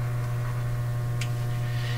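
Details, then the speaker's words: Canadian General Electric A55Z tube radio during capacitor replacements, powered through a dim bulb then at full voltage with antenna on: steady, loud, deep mains hum that shifts in character; owner suspects a tube may be the source, still untraced. "I hear the hum I hear the hum hum is changing the deeper hum is gone now oh no no no quite a powerful hum there the hum could be sourced from a tube it could be coming from a tube itself yeah it's definitely humming away here"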